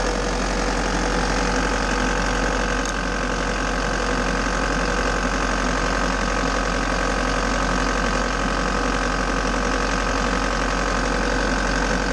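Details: Bobcat T590 diesel, cold, just started after water pump replacement and coolant refill, being checked for seal leaks with none seen: steady idle with an even, light clatter and no stumbles or surging. Normal diesel idle.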